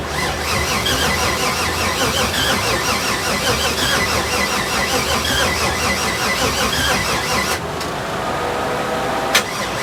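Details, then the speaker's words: 6.0 LS swap with 80 lb injectors, car sat a long time, leaks fixed: long steady cranking with a high squeal over the starter drone, never firing. Owner suspects the uncharged battery; cranks but won't start. "so i think i found my problem i think my problem is the battery because since the car was sitting for so long i haven't charged the battery"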